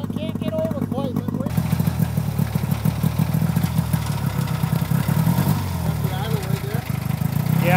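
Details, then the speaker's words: 1970/1971 Arctic Cat Panther snowmobile, 440 JLO two-stroke with Tillotson carburetor, test ride after carb adjustment: busy, heavy, rich sound under load that never clears; still loading up and bogging, air screw to be adjusted. "so sounds like it's loading up to me so we're gonna probably just adjust the air screwbay hold it up"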